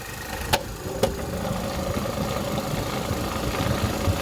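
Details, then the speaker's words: 2010 Vauxhall Meriva 1.4 petrol after repairing an injector wiring fault that caused a misfire: even, steady idle with some top-end rattle, engine cover off, no misfire; normal idle. "that is the injector issue now salted the car runs absolutely lovely with no misfire anymore"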